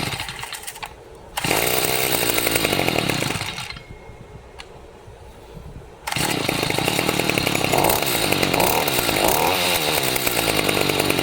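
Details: Stihl FS55C trimmer, tagged won't start, fouled plug cleaned, previously bogging and not idling, refilled with fresh fuel on full choke: high two-stroke buzz cutting out once then holding steady high revs; normal running.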